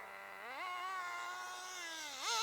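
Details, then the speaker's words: Team Associated RC10GT nitro RC car, warmed up: the engine note jumps sharply and revs freely without pulling as the slipper clutch slips, even after one adjustment; it was wound in further. "yeah slipping [Music] yeah it's slipping can you hear it slip it shouldn't rev like that okay so we've still got slip on the old slipper clutch"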